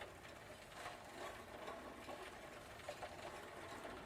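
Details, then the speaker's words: Old Phoenix Mentor farm bicycle with a replacement drivetrain: faint scraping and clicks about twice a second as the cranks turn; the chain has too much slack and is hitting and rubbing the chain case. "I think the chain is a two loose and hitting the chain case yep definitely"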